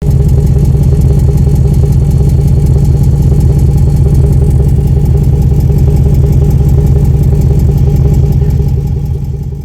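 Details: 2008 Chevy Impala SS 5.3L V8, noisy smoky exhaust: idles with loud, deep, raspy exhaust beat from a leak at a pipe joint.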